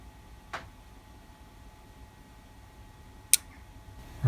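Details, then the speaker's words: DIY CNC stall monitor PCB prototype, code set to trigger e-stop: two sharp single clicks about three seconds apart in a quiet room; relay pulls in but appears not to come on, later traced to missing monitor LED pin in code. "Oh, something clicked. Oh, it's clicking it. Relay's not coming on."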